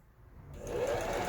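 Quiet at first, then the machine picks up to an even, fast whirring stitch with no knocks or catches; it runs healthy.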